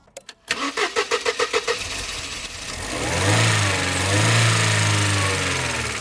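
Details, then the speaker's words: Classic Mercedes SLK non-runner: about eight cranking beats, then it catches and revs only while the fuel pump relay is held engaged and cuts out on release; faulty fuel pump relay, replacement needed. "Right. So, as soon as I let go now, it cuts out. So, I'm having to like re-engage that relay to get it to carry on running."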